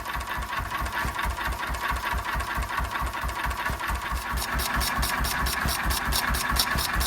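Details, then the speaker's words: 1926/7 National 5V petrol-paraffin single-cylinder engine after new piston rings, running on petrol off load with Cox Atmos carburettor nearly shut: slow, even chuffing about two beats a second, no knocks or misfires; running cleanly. "This is running on petrol here without a load, and as you can see it's running pretty cleanly."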